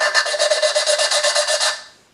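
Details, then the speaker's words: 2000 Ford Mustang 3.8 L V6 aluminum cylinder head, valve hand-lapped after carbon cleaning: gritty back-and-forth rasp about eight strokes a second, getting lighter as the seat wears in. "definitely don't want to use a drill on the other side with this uh because aluminum head so here we go you'll hear a grinding sound"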